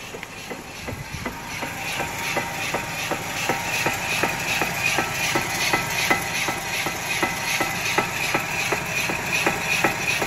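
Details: Chevrolet Malibu with the right front side jacked up and traction control off: sharp, regular clunks, nearly three a second, as the raised wheel is rocked by hand. The right front wheel bearing is worn.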